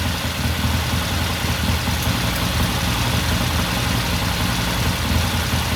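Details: 1969 Triumph TR6 twin, warm idle after cold start; pilot air screw turned in half a turn after pilot jet cleaned. Even, steady idle, smooth low beat, no misses or knocks; carburettor running cleanly, normal warm idle.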